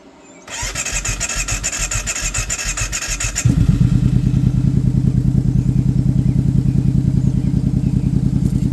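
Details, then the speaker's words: Brute ATV at first startup after Klotz Nitro was added, with the original fuel still in the system: a quick crank, then a fast steady even putter with no misses. Normal healthy idle. "idling good sounds good all right so we're going to let this thing run for a little bit"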